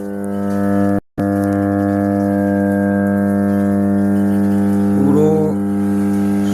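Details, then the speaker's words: MR amplifier with disturbed sound and intermittent loud hum, rusted VCs and bad connections already replaced: at switch-on a loud, constant low hum with buzzy overtones and no program sound. "আপনারা যে হাইটা হয়ে যাচ্ছিল মেশিনের, এই তারটি খুলে যাওয়ার জন্যে মেশিনটা পুরো হাই হয়ে যাচ্ছিল।"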